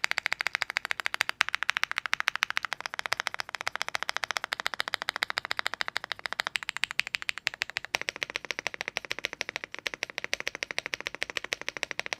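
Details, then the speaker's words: Epomaker Galaxy70 mechanical keyboard sound test: fast, steady clacky keystrokes with a faint metallic ring after each press; slight spring ping on all sides and noticeable ping on the knob. "from The Sound test you'll hear the slightest bit of pinging on all sides and a noticeable Ping On the knob nothing a little porse breaking fix"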